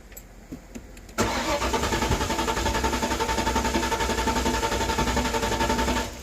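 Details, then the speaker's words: 1994 Ford Mustang GT convertible with brand new distributor; starter spins engine in even chug about four beats a second but never catches: crank no start, cause unconfirmed (distributor alignment suspected). "Nope. Back to our all crank, no start situation."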